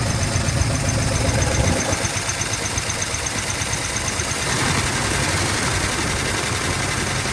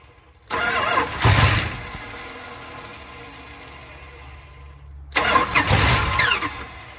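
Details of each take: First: 1970 Dodge D100 383 big block, sat 30+ years: steady fast idle with light quick lifter tick still settling; runs fine. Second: 1970 Dodge D100 383 big block, sat 30+ years, first start on brake clean with no throttle, cranking slow: two bursts catch, sputter and die; fuel-starved carburetor, later found with seized throttle shaft and garbage in the bowl.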